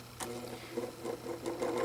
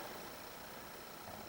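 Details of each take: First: Vintage 12" Windmere oscillating fan spinning up: uneven ticking and rattle over a low motor hum; the head doesn't stay straight, oscillator turns without effect, and blades may need tightening; dry motor bearings needing oil. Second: Sanyo fan with its original part replaced by a ferrite choke, just out of storage, switched to low speed. Quiet even whir with no stalling, surging or rattle, and the motor sounds healthy. Spin-down time is a bit short.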